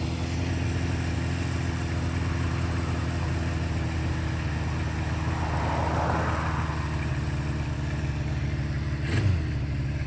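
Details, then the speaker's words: 1976 Honda CB550 chopper, warm, running for the first time after sitting 48 years: steady low idle with a slightly uneven, loping beat, running well overall, but the idle mixture and speed need adjusting. "It's running good. really good for something that sat for it seems like a 100red years, right?"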